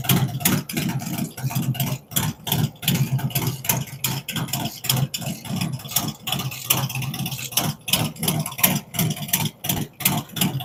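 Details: Freshly built V-twin on its first fire-up with a 468 cam, adjustable pushrods, aluminum intake, 5.3 injectors and Thunderx headers: a choppy, loping idle of about three irregular thumps a second, the big-cam beat, otherwise running fine.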